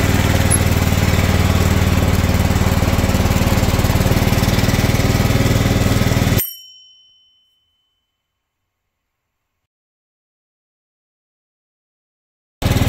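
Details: John Deere LT160 automatic mower, under 500 hours, left outdoors for years, cold start at about 32 degrees: even, steady single-cylinder thump at fast idle for about six seconds, then a clean cutoff; healthy cold-start run.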